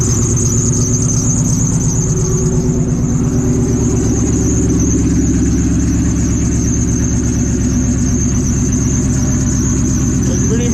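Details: Supercharged car idling after a new belt and X pipe were fitted, awaiting a tune: constant high-pitched squeal over the idle, never letting up; owners traced it to the alternator pulley.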